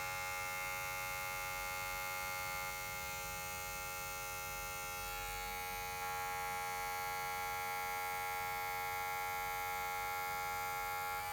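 A soft, steady electric hum with a thin, even whine, no rattle or knock, then a click as it shuts off.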